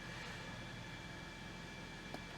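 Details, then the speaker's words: High-mileage Toyota Corolla, nearly 500,000 miles, brief cold start after oil change; steady engine clatter with faint high whine, a little noisy, cause not pinned down. "All right. Start it up. A little noisy."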